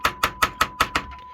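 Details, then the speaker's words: Technics amplifier after resoldering suspected dry joint at amplifier module and redoing heatsink compound: six sharp taps while steady mid-pitched test tone holds without cutting out or crackling, unlike before the repair. "I'm using my now very technical tap around test, where it was very clearly before cutting in and out, doing all kinds of weird stuff,"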